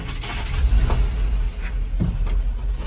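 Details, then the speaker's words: 1948 REO Speed Wagon truck, started earlier that day but cooled down, started on key and button without choke or throttle: short crank, engine catches at once and settles into low uneven rumble; easy, healthy start. "It has been started today, but it's cooled down. So there's a key to turn on. I'm not gonna touch the choke or the throttle, just the start button, so you can see how easily it starts."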